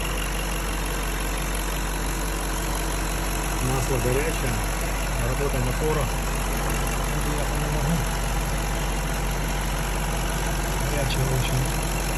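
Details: Fully warm BMW M62B35 V8 after VANOS units were reinstalled with corrected timing to cure a knock from earlier wrong fitting: smooth, steady idle with no top-end rattle or ticking; cam timing units sound right.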